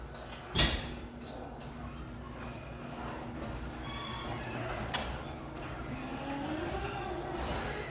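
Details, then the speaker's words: Two-car, 18 ft garage door with torsion springs opening, before lubrication: rumble with sharp thump, faint high squeaks and scraping as panels roll; unlubricated hinges and metal contact points suspected. "All right, you heard all the squeaking and thumping."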